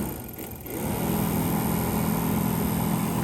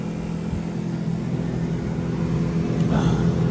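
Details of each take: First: 1985 GMC K15 heater blower, powered by a jumper-cabled battery after mouse nests were cleaned out: spins up into a steady low hum with some rough whir, moves air out of vents; running, noisy but tolerable. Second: 1985 GMC K15 heater blower on jumper-cable battery power after mouse-nest cleanup and reassembly: low, steady hum with a soft rhythmic whirr, no squeal or scraping; blowing out of the vents, working normally.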